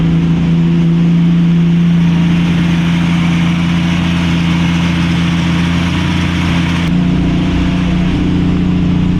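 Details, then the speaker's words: 1965 Mustang straight-six, Pertronix ignition fitted, idle jet a quarter turn from bottomed: high lumpy idle with uneven beat and stumbles; fast rough idle with misfire, oil found on spark plug 2 threads, timing suspected. "It's idling rough. It's misfiring."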